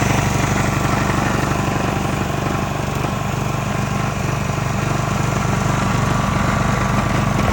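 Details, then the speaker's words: Subaru pressure washer engine with pump and hose attached, previously would not pull over: even steady beat and constant pitch, no stumbles or knocks. Engine and pump both good. "Is the engine good? The pump is also good."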